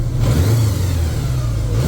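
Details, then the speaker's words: 1983 Honda GL1100 Goldwing barn find that sat 9–10 years, at operating temperature after a full carburetor sync. Low, smooth hum settling to an even idle of about 950 rpm without hunting or missing; carbs sound balanced. "close and then my idle comes down right about 950 so yeah I think we're tuned up sounds a lot better"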